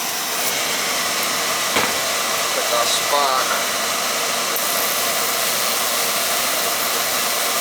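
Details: Oil burner on a no-heat callback: a steady, even high roar from the burner fan and pump with no surging or sputter. Oil flow and spark check good; the old control is suspected as the cause.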